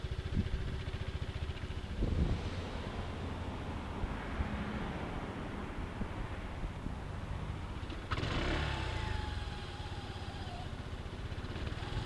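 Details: Low engine drone with a faint thin whistle rising as the vehicle pulls away, pointing to a whining CVT variator.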